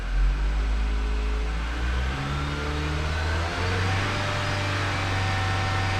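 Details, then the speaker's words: Nissan Versa/Sentra four-cylinder after intake gasket, spark plug and coil pack replacement, still warming up: blipped to about 3000 rpm, a clean even drone with no hiss, miss or roughness; runs smoothly. "Yeah, oh yeah, do you hear how smooth, just at 3000 RPM there? And this is a 4-cylinder. 4-cylinders, you know, they don't run very smooth."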